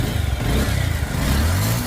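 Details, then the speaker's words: Bajaj Pulsar single after clutch work, with the clutch center, washer and springs refitted and tightened and the mark aligned for balance: brief rev that rises and falls cleanly with an even, deep beat and no knocking or rattle. Normal engine revving, smooth. "Sound শুনেন ইঞ্জিনের কত smooth sound আসছে। আশা করি এভাবে কাজ করলে ইনশাল্লাহ sound ভালো থাকবে।"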